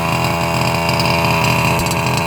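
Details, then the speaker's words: Losi 5IVE-B fifth-scale two-stroke buggy on stands, tank nearly empty, mic near exhaust while feathering throttle: buzzy, slightly ragged popping note lacking snap; lean running from low fuel. "you can hear how it's got that pop to it, but it's not as snappy."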